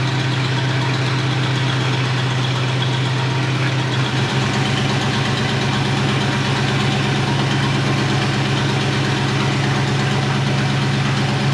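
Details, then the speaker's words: 1970 crane truck V8, sat ten years, idling after new Carter fuel pump fitted, fuel through carburetor: smooth even low idle with steady beat, no misses or knocks, runs smooth as silk; normal idle. "all right so we got the engine running again got fuel going to it through the carburetor runs smooth as silk"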